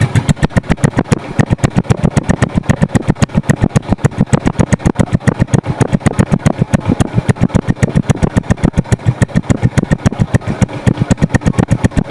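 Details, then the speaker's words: Suzuki Smash single, started very cold: quick, slightly uneven pops about three or four a second that won't settle to a low idle; carburetor jetting off and slight compression leak. "Nggak bisa ngelangsamnya karena karbunya yang kurang pas jettingnya gitu, settingannya. Dan satu lagi ya memang faktor dari kompresi yang udah mulai bocor ya cuy ya."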